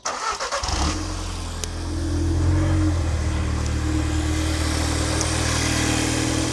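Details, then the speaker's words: Audi TTS MK2 started after fitting new spark plugs and high-discharge ignition coils: it catches quickly, rises to a fast idle, then settles into an even, smooth beat with no popping or stumbling. Normal start and idle. "Seems to be fine to me. I hope you can hear me from the mic, but sounds good. Nothing's popping out or like freaking out."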